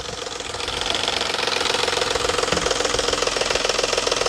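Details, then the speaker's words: Petrol engine at cold start in the morning, microphone close to the engine: quick, fairly even tapping about three or four per second; suspected bad cam phaser spring mechanism, not valvetrain tick. "Typically, you get that noise first thing in the morning. Cold, it'll just start tapping."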